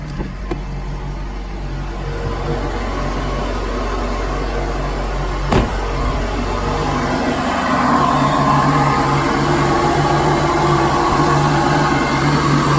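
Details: 2013 Cadillac ATS (LTG) just after installing a larger ZZP throttle body, no codes on startup: low, even idle with smooth steady hum, no misses, knocks or surging; normal idle.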